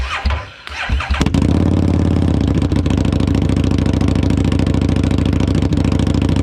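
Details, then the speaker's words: 2017 Harley-Davidson Street XG750 fuel-injected, liquid-cooled engine on a test stand, run after shipping damage, fuel pump submerged in a makeshift tank, coolant not connected. It cranks, fires after about one second and settles into an even V-twin rumble with no knocks. "It runs. Super excited, super happy."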